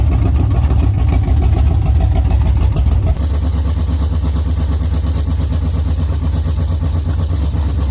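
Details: LS-swapped Chevy Camaro V8, first run after rebuild, no coolant or transmission fluid yet: deep lumpy V8 rumble settles into steady idle, no knocks or ticks; normal running.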